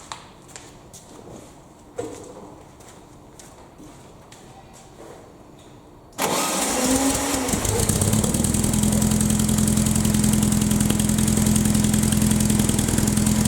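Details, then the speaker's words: Air-cooled VW Baja Bug parked for 20 years, first start after new spark plugs and HT lead work: quiet clicks, then the engine fires and settles into a steady, even idle that keeps running. "um well that was um easier than i was expecting that's basically doubled the value of the car"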